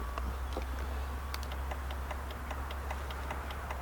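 Quick dry clicks, roughly two or three a second, and the engine never turns over: the relay chatters but nothing cranks.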